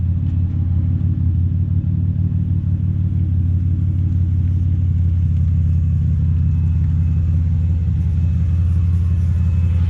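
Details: Chevrolet Impala exhaust after shop repair of holed pipe with new pipe section: deep, steady, even idle rumble with no puffing, ticking or rattling; exhaust sealed and healthy, far quieter than before.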